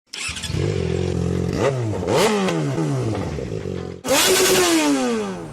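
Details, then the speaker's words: Yamaha Factor 150 engine giving a rough mechanical rattle rising and falling with throttle blips, easily mistaken for crankshaft or camshaft bearing; cause is a burnt stator winding, fixed by replacing the stator. "Ela tá fazendo um ruído bem feio no motor."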